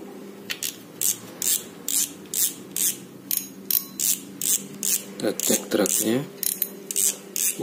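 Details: Penn Battle II reel after gear rebuild, greasing and cover reassembly: crisp ratchet clicks in quick bursts, about two to three a second as the spool turns, even and clean; drag clicker working normally.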